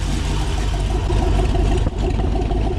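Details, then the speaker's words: LS V8 on a DIY run stand with no coolant, first start after the starter was replaced to cure a noise from it not disengaging the flywheel: deep, even burble at steady speed, no ticking or knocking, holding great oil pressure; a normal idle. "We obviously can't run it for too long because there's no coolant running through the system to get things cooled down, but it is holding great oil pressure. Everything sounds like it's running smooth."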